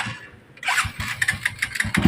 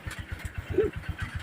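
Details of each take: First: Honda Supremo 150 motorcycle that a shop quoted an expensive repair for: catches and idles with a rough, regular knocking, scraping clatter deep in the crankcase; worn crankshaft main bearing. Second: Honda Supremo 150 motorcycle after replacing the failed 6203 bearing and reboring because it was smoking and using oil: steady even idle, no scraping or grinding even with clutch pulled in; normal idle.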